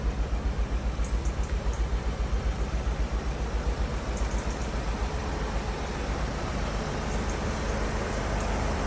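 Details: VW Mk7 GTI misfiring: uneven, stumbling idle with a loping beat about 1.5 per second. The timing case is leaking oil over the fuelling, and a failed washer is implicated.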